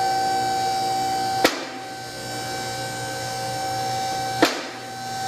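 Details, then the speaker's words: Rotary two-post lift with automatic safety lock raising a car: steady motor hum with two sharp clunks about three seconds apart as the safety lock engages; normal, since no clicking on the way up would mean a safety lock problem. "now this lift has an automatic safety lock with the clunking you heard when the lift was going up was the Safety Lock engaging if you don't hear that clicking when it's going up you've got a safety lock problem and that lift is not safe to use"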